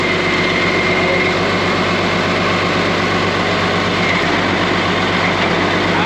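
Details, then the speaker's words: Case 5230 tractor after jumping the unhooked cylinder relay wire: steady diesel drone, drive engaging and moving with no slipping or grinding; transmission now normal. "She's driving. You can hear it engaging."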